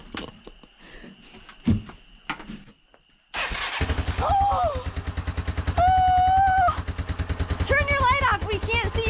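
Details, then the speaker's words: 1989 Yamaha Moto4 350 ATV single-cylinder, first start after a months-long budget rebuild, having had strong spark but not firing. Quiet fumbling, then fires straight up into a steady, even putt-putt idle with brief revs; normal start and idle. "you see how fast that started right up it was just nice job buddy"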